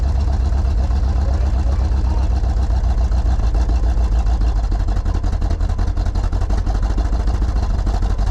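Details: Loud, low, uneven stumbling idle on a 1968 Pontiac Grand Prix big-block V8, first start after 15–20 years off the road; rough running from plug wires swapped in the firing order.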